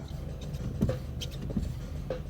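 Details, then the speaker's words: BMW parked with engine idling: sharp metallic clicks and scrapes when the brake pedal is pressed at a standstill, from brake calipers lacking lubrication; fix is greasing the caliper contact points, not the disc. "all right and you hit your brakes you hear that means you didn't put enough lubrication okay"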